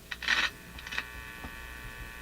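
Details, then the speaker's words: Canadian General Electric C67 tube radio: crackles then steady buzzing hum once volume is up; suspected open grid in the audio stage, unconfirmed. "So uh this buzz uh one of you commented that it sounds like an open grid. [music] And to me it sounds like an open grid too."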